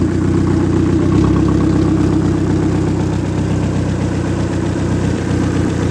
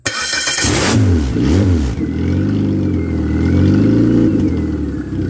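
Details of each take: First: Ex-race Neon four-cylinder on a floor test stand, warming up: smooth, even hum with steady firing rhythm, no knocking or tapping; no coolant bubbles, compression 180/180/175/180 psi, great oil pressure, a healthy engine. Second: Ex-race Neon engine on a floor test stand fires up; revs hunt and surge unevenly, then settle rough, running rich from too much fuel pressure with no regulator fitted; oxygen sensor function uncertain; charging, no coolant bubbles, good oil pressure.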